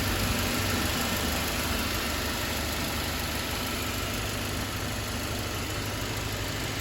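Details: Mercedes-Benz C250 after turbo removal/rebuild for massive oil leak (earlier misfire, water in cylinders fixed): even, steady idle with no knock, miss or tick; cooling properly, no oil leak so far, healthy.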